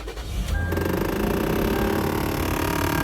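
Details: 2018 Toyota 4Runner: loud rapid ticking rattle from behind the glove box, the HVAC actuator grinding while trying to move a recirculation vent door jammed by a lodged nut; a new blower motor had not cured it.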